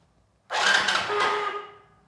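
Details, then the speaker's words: Long-idle motorcycle, 46,000 on the meter, in neutral, fuel tank disconnected so no petrol, self-starter used to circulate oil: short, steady mid-pitched whir as the engine spins without firing. Normal starter motor cranking. "सो ये तो थी starter motor की आवाज़। अभी क्रैंकिंग कर रहा हूँ, engine start नहीं हो रहा है इसलिए कर रहा हूँ बिकॉज अभी फ्यूल टैंक कनेक्टेड नहीं है ना, तो इसमें पेट्रोल नहीं है।"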